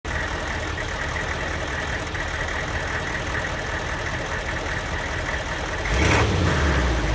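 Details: Diesel van with an aftermarket Kojo ECU tune: lumpy, stumbling misfiring idle, then a short rev. It runs worst when hot and barely reaches 45 mph. Fitting a stock junkyard computer made it run normally again.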